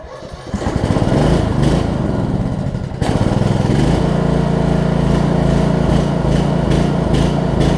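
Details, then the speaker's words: Briggs Intek single-cylinder on a Snapper RER mower, first start after camshaft and automatic compression release replacement: catches after a short crank, settles into steady even putter, no knocks; running normally during break-in. "i want to give it a good break in period so i'm gonna give it i'm gonna let it run for about 10 minutes"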